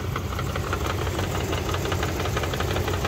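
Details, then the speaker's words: 1999 Dodge Durango SLT that sat 14 years, with swapped plug wires and old oil: steady sharp knocking in time with a rough idle, suspected near the flywheel. The knock went away after fixing the front two swapped wires. "now that it's quiet listen to that sounds like it's inside it I don't think it's the engine I get something inside uh inside here um by the flywheel"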